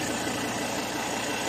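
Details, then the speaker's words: Ford Ranger 3.2 diesel at idle: fast light rattling knock mistaken for engine noise, not from belt or intake/turbo leaks, disappears when vehicle is stepped on; loose shock absorber top nut. "Sige tapos tapakan mo ulit ila. Yan nawala na naman. Pag tinatapakan nawawala baba."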